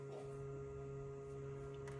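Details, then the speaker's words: 2025 Ford Bronco Big Bend, 1.5 L, almost 3,000 miles: a steady low electric buzz at even pitch with no pulsing or grinding. These are the LED headlight cooling fans, which run when the door opens or the engine starts, apparently until the lights reach a certain temperature. "If you have one of these and you don't know [music] what it is, it's for these uh LED lights. Whenever you open the door, the lights come on. Start it up, the lights come on. They're cooling fans that run."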